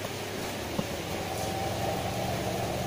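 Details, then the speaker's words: Denpoo twin-tub washing machine after replacement of the dead spin dryer motor and spin seal, spinning clockwise: smooth, even whirring at a constant pitch with no rubbing or scraping. The new seal makes the spin faster and quieter; it sounds healthy. "nah ini karena kecilnya kita ganti yang baru dia pasti putarannya lebih share ya atau lebih kencang dan lebih halus suaranya karena Seal pengering itu berpengaruh di putaran ya"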